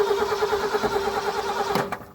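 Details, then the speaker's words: 1976 Ford F350 Super Cab, FE-series V8 (owner unsure if 360, 390 or other), fresh battery just installed: starter cranks with even rhythmic churn, engine fires cleanly; runs well, a little cold-blooded; normal cranking and start. "Come on, baby. Listen around. This thing runs really good. A little cold-blooded."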